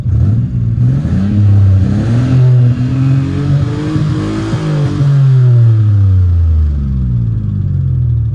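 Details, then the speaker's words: 1986 Nissan Maxima wagon, 221,000 miles, abandoned for decades: revving with a rough knock and lifter tick under a deep exhaust drone. Oil pressure is down to nothing despite additives, Marvel Mystery Oil and thinner oil; the owner suspects the oil pump. "just hear it knocking taking lifters taking is gone oil palm's bad or something that he's got 221 000 miles in it"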